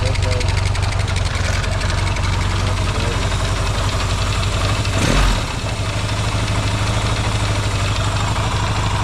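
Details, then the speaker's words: Yamaha XS650 twin after oil-burning repair, restarted with a little choke: even quick idle pulse with one clean throttle blip, no knock or misfire; runs quieter and no longer smokes when revved as before. Normal idle. "before it would be it' be W in out smoke when I do that it's not doing that anymore man it sure runs a lot better now that's that's great"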